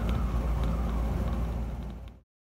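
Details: 1976 Land Rover Series 3 109, 2.25 petrol, driving before a new exhaust: loud, deep, rough roar from a holed exhaust blowing at the manifold, where a stripped stud had a too-long bolt botched in. Exhaust leak.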